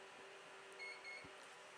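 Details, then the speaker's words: HP ProLiant DL360 G7 server during POST with Smart Array initializing four logical drives: brief steady tone twice over constant fan hum; normal POST completion beep. "so here we are we are posting and this time we're obviously not going to press f11 or anything after the beep so you can see that the smart array is initializing all of our four logical drives that we created"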